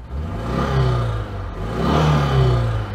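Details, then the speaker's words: 1992 Oltcit (Romanian Citroen-design) overhead-cam engine warming up after carburettor work, revved to dry exhaust condensate; swells through two revs with a light clatter, less smooth; camshaft issue suspected, not confirmed. "i can hear the um camshaft sam said there's a slight issue with one of the camshafts on this engine overhead cam engine yeah it's no longer sounding quite so smooth is it"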